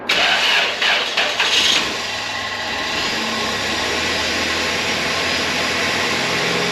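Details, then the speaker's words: 2RZ engine in a wrecked 1999 Toyota Tacoma, first start after a new OEM oil filter and an oil top-up: quick catch, then a smooth, even idle with no knocks or ticks; the oil light went off and the engine sounds healthy. "this thing sounds pretty darn good I'm actually super pumped about that"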